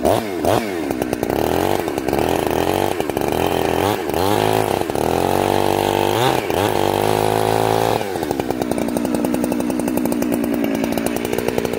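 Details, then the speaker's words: Chainsaw, warm, carb set very rich: revs sag and burble unevenly, blubbering in the cut instead of screaming clean; four-stroking from an over-rich high-speed jet. "oh okay guys this sauce warm now i want you to hear blubber in the cut that means that it's four-stroking okay listen for the four-stroke"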